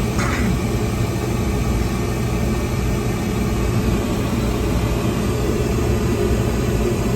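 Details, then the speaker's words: Brand new Trane rooftop gas heating unit on a restaurant no-heat call, running after a faulty draft inducer plug was dealt with and a limit switch cut out: steady low hum from inducer and burner, no surging, rattles or arcing; normal running. "All right, here comes the draft inducer. Should have spark in a minute."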